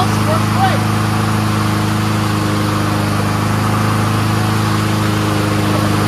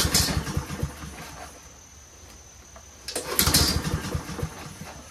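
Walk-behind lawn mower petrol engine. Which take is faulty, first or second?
second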